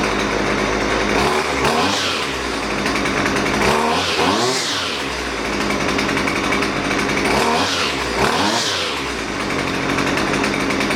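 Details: Husqvarna 128LD string trimmer that bogs and won't throttle up, during carburetor adjustment (left screw turned counterclockwise); revs up in short bursts then sags back; bogging on acceleration.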